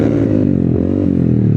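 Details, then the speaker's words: Yamaha scooter accelerating smoothly with a rising engine note and no rattle or miss; it pulls lighter and runs better than before, possibly helped by a reviver treatment and re-elbow, with no CVT parts changed, though the pulley nut keeps loosening. "Kasi iba yung takbo niya ngayon Parang medyo mas umayos siya compared dun sa dati. Ang gaan niya umalis"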